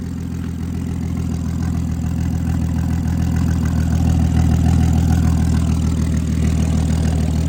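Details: BMW F10 535i N55 with a DIY big single-turbo kit, first startup idling in eco mode after an oil leak was tightened: smooth, even idle with a steady low rumble, no ticks, knocks or misses.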